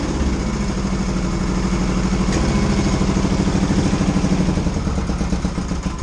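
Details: 1982 Yamaha XS650SJ twin on a lift, low on fuel, test fire after refitting battery (dead battery suspected for earlier no-run): even, steady low thumping at slow choke idle, no knocks or misses; runs healthy.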